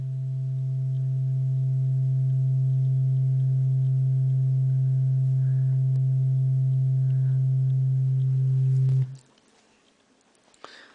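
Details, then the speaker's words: Class B output stage inside an op-amp negative feedback loop, with the op-amp slewing hard to correct crossover distortion, playing a sine test tone: pure steady low tone with no rasp. Clean output without crossover distortion. "it's doing that thing is slewing like a boss to correct that crossover Distortion let's see what it sounds like music wise plug in my music player again okay well sounds pretty good"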